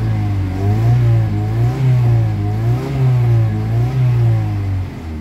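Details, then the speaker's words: Kia Pride after XADO engine treatment added to oil and fuel, earlier white smoke, low power and vibration: revs rise and fall smoothly around 2200 rpm with an even note, no knocks or misses; smooth revving, now refined. "aaka p 2200 yung ano niya tunog niya pino na kanina nag-wild ba ngayon Medyo okay naung"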